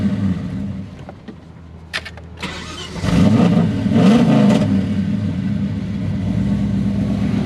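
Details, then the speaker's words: VN SS V8 that lost all power mid-roundabout while cruising: near silence with a few clicks, then the engine catches and settles into a rumbling idle. Owner suspects a power wire, since power returned when he touched it; not confirmed. "so the car's just completely lost power in the middle of a roundabout not too sure why or what's going on"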